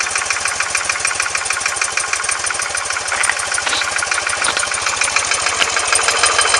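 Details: R100S engine about 500 km after a rebuild, with heads retorqued and rockers and rocker side play adjusted: a fast, sharp ticking knock of about three per second on the left side when cold, gone when warm.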